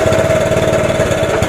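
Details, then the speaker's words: 1983 Honda ATC 70 single-cylinder after sitting over 10 years, carb rebuilt, nice blue spark, started on starting fluid with choke: quick, even putts at about fourteen per second with no misses or knocks; running cleanly. "I checked the spark and it seemed to have spark as a matter of fact it seemed to have a nice nice blue Spark so she should fire up here we go actually it sounds pretty"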